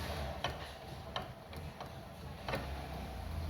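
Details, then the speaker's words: Chevrolet Celta/Corsa steering rack, removed and disassembled, rocked by hand: sharp irregular metallic clicks from worn internal play, the cause of knocking when driving over cobblestones. "Fazendo barulho, né? Tem folga."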